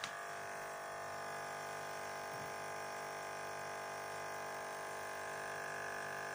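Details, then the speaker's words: Running fridge compressor with a steady, harsh electric-sounding buzz on top, from the loose evaporation water tray on the motor at the back vibrating; buzz eases when the fridge is shaken. "Bu motor buzdolaplarının yanında. Onları da tutup kontrol edebilirsiniz. Bununki şu görmüş olduğumuz su tası üstünde."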